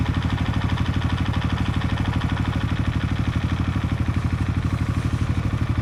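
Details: Suzuki Raider FI single-cylinder idling after the exhaust stud bolts were replaced with stainless ones and the pipe refitted. A steady, even idle at about three beats per second with no puffing or ticking at the pipe joint; the exhaust is sealed.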